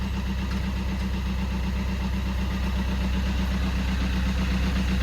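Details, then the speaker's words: Fiat 500 diesel with a replacement engine, started after the DPF was replaced (it previously gave plumes of smoke): a steady, low diesel clatter at idle, even and smooth with no misses or knocks. This is a normal diesel idle. "but it's running and whereas before we have plumes of smoke coming out now we've changed DPF over at the"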